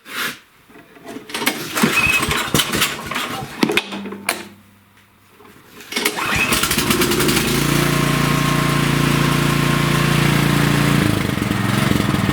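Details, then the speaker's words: Cub Cadet snowblower single-cylinder engine, after replacing carburetor (MTD 651p05995) for only-runs-on-choke and fuel-in-oil, started on choke with primer: catches after a few pulls, steady even run, no surging. Normal start and run. "And there we go. All is good."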